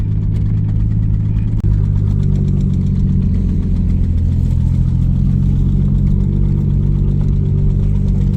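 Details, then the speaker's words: 1990 Toyota Supra turbo manual just after startup: starts well but the idle carries a persistent low knocking under a loud, rough drone. "here is a startup of it starts up pretty good and everything just got that knock"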